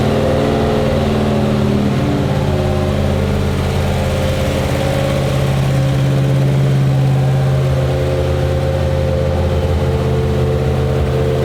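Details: Mild 340 V8 with a Holley carburetor and electric water pump, already tested: a steady, even, lopey idle rumble with no knocks or ticks. Healthy idle.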